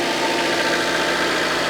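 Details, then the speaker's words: Rover 216i with 320,000 km at idle: smooth, steady idle with an even beat and no ticking or knocking; normal idle despite high mileage. "I'm not really worried about this engine being a being a big problem and is probably on its uh last journey soon but uh it doesn't sound that"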